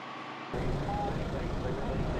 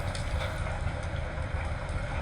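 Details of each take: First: John Deere 7520 tractor after full oil change and new filter: steady, even low diesel rumble at idle with no knocks or misses; running great. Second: Auction-bought 8-basket hay tedder run behind a John Deere 7520 tractor: irregular sharp metal-on-metal clanks and scrapes over steady tractor drone; owner suspects tines hitting each other, cause unconfirmed; one rotor gearbox also leaking water.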